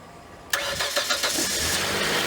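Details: 2007 Hyundai Santa Fe after cleaning badly corroded battery terminals, with a bad starter suspected: the starter catches at once and the engine fires straight into a smooth steady idle, a clean healthy start.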